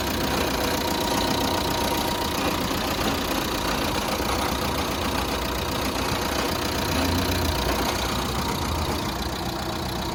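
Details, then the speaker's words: Fiat Egea 1.3 Multijet diesel, manual gearbox, just started: uneven, lumpy idle with the rev counter moving by itself, nearly stalling; rough fluctuating idle, cause unconfirmed. "neredeyse stop edecek arabayı çalıştırdım neredeyse stop edecek gibi devir saati de kendi kendine oynuyor rolantisi de bozuk rolenti de sıkıntı var"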